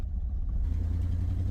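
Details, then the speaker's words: 1994 Chevrolet Camaro Z28 LT1 pulling uphill under heavy load after new plug wires and coil: deep, uneven, stumbling note, missing. Misfire under load; owner suspects a clogged fuel filter. "well it seemed better for a second but still here missing it's definitely got more this hill I almost couldn't even pull away from last time"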